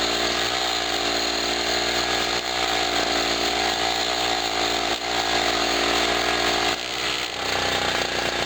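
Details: Generator after its first cold start of 2016, having sat about a year, loaded with a 40 W bulb: a steady buzzing drone holds its pitch with a noisy air pump chattering alongside, carrying the load evenly. Normal running under load.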